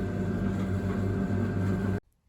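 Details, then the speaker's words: Beko DRCS68W 6kg condenser tumble dryer, about 12 years old, back working after the drum-to-front seal had fallen off: steady, even low drum hum, then a clean stop with no knocks or scraping; normal running. "Right, so we're back to it working."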